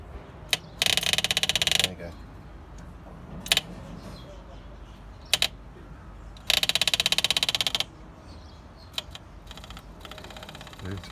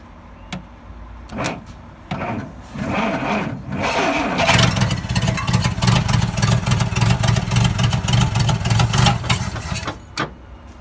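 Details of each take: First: Dodge D300 slant six military truck, long stored, first start attempt: two bursts of fast fine ticking about a second each with quiet between, electric fuel pump priming the line normally. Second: Dodge D300 slant-six military truck, first start attempt in years after changing points, petrol added: long stretch of rapid even cranking with a few coughs, but the engine never catches and runs on its own.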